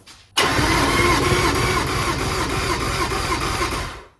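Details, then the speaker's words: 2003 Yamaha 225 Vmax outboard on a 2003 Triton TR20 boat, cranking on the key for a compression test on a weak battery: starter spins at a steady even chug, about three beats a second, then stops; cylinders later read about 115-120. "all right we're ready to do the compression test now we just going to go turn the key and see if the motor spins"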